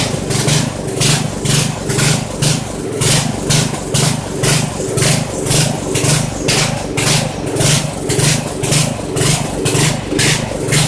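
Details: Poulan 900 rototiller single-cylinder engine, restarted after checking oil, suspected governor issue: uneven pulsing about two surges a second with clattery bursts, running rough; carburetor judged to need rebuild or cleaning.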